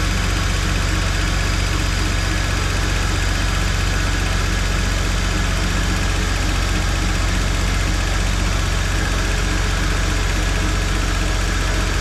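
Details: GM 3800 V6 (Holden Commodore VP) after replacing the DFI ignition module: steady even idle rumble with constant firing beat, no misfires, ticks or stumbles; normal idle.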